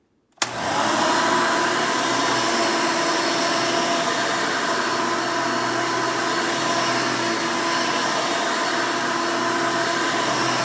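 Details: 1992 Hoover Elite II Total System Performance 650 U4689-910 upright vacuum, motor untouched since purchase: spins up quickly to a loud, steady whoosh with even high whine, no rattles or surging; owner says it runs nice and smooth, normal running.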